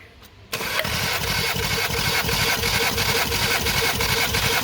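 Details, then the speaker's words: Compression test cranking on a 2018 VW Golf R engine with 242k km: a steady starter beat of about three pulses a second with no missing strokes. Cylinder 3 reads almost 11 bar, so compression is good. "okay almost 11 bar okay okay as soon as more than 10 bar we are happy we're good and cylinder number four"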